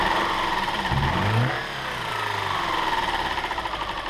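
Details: 2007 Subaru Outback 2.5 SOHC interference engine, wrecked parts car with shattered cam pulley, test-fired after new timing belt without cooling system: catches and settles into a steady, even idle with no misfire or valve clatter; smooth running, healthy.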